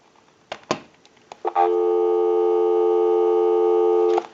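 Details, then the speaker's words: Western Electric Trimline wall telephone after repair with new amplified electronic transmitter, final checkout on a line out with analyzer bypassed: handset clicks then clean, steady dial tone about 2.5 seconds; line works properly. "we can go ahead and press this button on the switch box that'll give us a line out totally take the analyzer out of the situation and we'll call it time and temp number go ahead and give you some dow tone"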